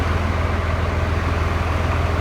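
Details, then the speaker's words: 2008 Ford F350 with a Cummins swap, electronic pedal converted to a cable pedal, which makes it really touchy: steady diesel idle with an even low thrum, no clear rev blip heard; oversensitive throttle pedal. "But he told me it's an electronic pedal that had to be converted to a cable run pedal, and for some reason that makes the pedal really touchy, which it is."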